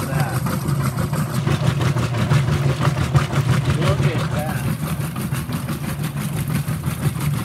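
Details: Whirlpool WTW5300SQ0 top-load washer after a new timer was fitted, small load, warm water, normal regular cycle, high agitation: steady back-and-forth churning with an even repeating swish, no knocking or grinding, normal agitation.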